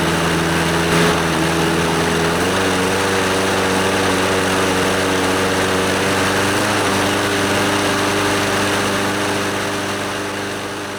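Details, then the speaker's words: Scotts lawnmower, Briggs & Stratton 6.5 HP OHV Intek Edge single-cylinder engine, after carburetor and fuel-system cleaning and a new NGK BKR5E spark plug: steady, even buzz with constant pitch, no misses or knocks; it runs pretty good. "yeah it seems to run pretty good"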